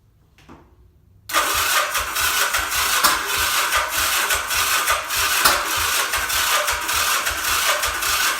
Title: 1979 Yamaha XS400 won't start